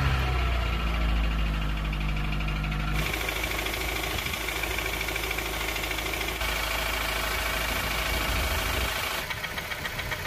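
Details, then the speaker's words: 2003 Honda CR-V RD8 with K20A4 engine idling, before valve adjustment; the tapping began after hard high-rev driving: rapid even top-end tapping about three per second; camshaft lobe galling was suspected but not seen, and valve clearance is suspected. "so with that sound um I thought it was camshaft low galling or galling whatever people are saying"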